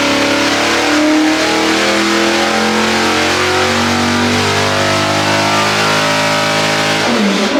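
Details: 406 small block Chevy on engine dyno, pump gas, Jegs ported aluminum heads, ATM carburetor; smooth full-load wind-up, clean climbing note, no misses or popping, then lets off; pull felt a tad rich, jets leaned two numbers; healthy.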